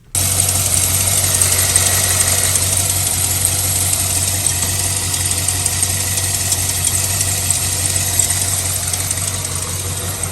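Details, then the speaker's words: Chevy Suburban V8 idling: steady low hum with fast crisp ticking from a driver's-side exhaust manifold leak that is getting worse; manifolds and gaskets on both sides to be replaced. "but I want to know that you guys hear the exhaust leak on the driver's side it's getting worse it's from the exhaust manifold"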